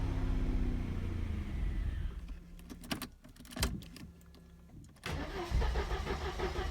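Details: 1986 Mercedes W124 230E, cold: catches roughly, falters into spluttering, popping, then picks up; starts badly or not at all unless sprayed with starting fluid, and when warm idle drops to 400-500 rpm in D or R, sometimes stalling.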